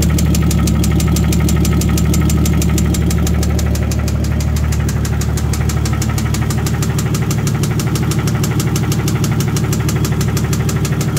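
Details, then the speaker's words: 2JZ-swapped Miata petrol six idling the day after it knocked loudly at 65–70 mph on the freeway and shut off: loud, regular metallic knock, about three raps a second; engine needs replacing. "oing back home i was on the freeway in the slow lane doing about 65 70 and i started to hear this loud knock uh late not even a little bit up the road the car shut off on me and left me stranded"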